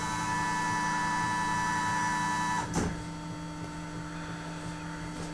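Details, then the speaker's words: Porsche Cayenne fuel pump run by scan-tool activation: a steady electric hum with a thin high whine for under three seconds, then it cuts out cleanly; the fuel pump is running fine. "It's clearly running the fuel pump. Perfect."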